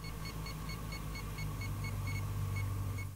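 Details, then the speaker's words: Satellite receiver on a V-quad-engined vehicle beeps to guide dish pointing; high, short beeps slow from about four to two a second as the dish swings off target, the wrong way. "slowing down, going the wrong way. Either it's going to blow up, or we've got a lock."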